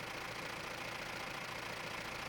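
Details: Mahindra Roxor turbo diesel after fitting Dirt Legal intake retaining bracket for overboost leak: steady even idle with a soft airy hiss, no whistle or surging; no leak found, sounds better than the earlier weird sound, owner suspects the leak caused.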